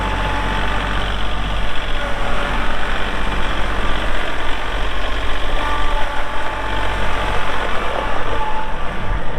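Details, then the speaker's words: 2022 Kubota L3901 4WD hydro compact tractor diesel, 219 hours; steady diesel clatter at an even idle throughout, no misses or odd knocks: normal healthy idle. "This one has 219 hours. Cranks up, runs good."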